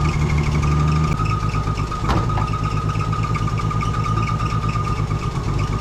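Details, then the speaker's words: Old carbureted Ford six-cylinder, just started with gas poured down the carb. Lumpy, uneven idle with a faint whistle on top. Rough running after long storage. "well it ain't much but it kind of works"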